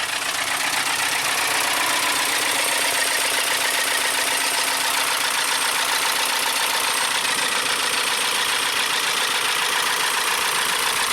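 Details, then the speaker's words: 2012 VW Tiguan GDI turbo that stalled on the highway with the low oil pressure lamp possibly flashing; refilled with oil, new belt, boosted battery. A loud, harsh diesel-like clatter over a fast, rough idle, with oil spraying. Engine knock, suspected internal. "Let's try it. Sounds like a diesel."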